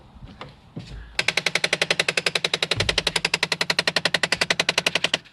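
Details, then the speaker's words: 2016 Jeep Compass: fast, even run of sharp ticks, about four a second, lasting about four seconds from under the dashboard, perhaps toward the center, when the door is opened after the car has sat; intermittent, cause not identified. "and there's the noise it seems to be coming from underneath the dashboard maybe towards the center but it usually happens when the car has been resting for the wall"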